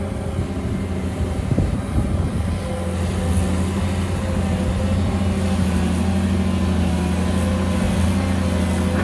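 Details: Kobelco SK200-1 excavator digging very sticky clay, hydraulic pump whining loudly: a steady diesel drone whose low note sags and shifts as the arm loads up. The engine bogs under hydraulic load.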